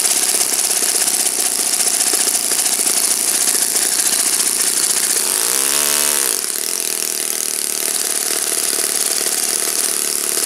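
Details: Saito FA-56 four-stroke glow engine, moderate-time, first run after teardown, cleaning and bearing replacement, 12x6 prop, OS F plug, Omega 5% fuel, tuning run: smooth steady high-pitched buzz at even revs, one brief throttle change midway; normal healthy running.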